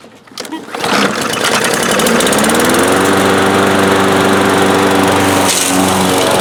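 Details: Briggs & Stratton lawn mower with plastic carburetor, after cleaning the carb to cure hard starting: short cranking, then catches and runs steady and even with no misses; normal start and run.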